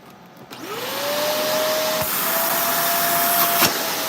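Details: After clogged vacuum is cleaned and tested at the wand, the motor spins up to a steady, strong whine with even airflow rush; suction at the wand sounds healthy, normal.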